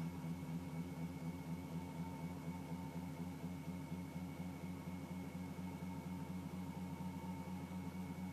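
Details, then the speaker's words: Bedini SG pulse motor with opened coil gap, carrying extra weight and driving a fan, at about 89–90 cycles: steady electrical hum with fast even pulsing, no stumbles; humming along well, producing a good breeze. "89 990 things humming along pretty good can't get a pretty good Breeze"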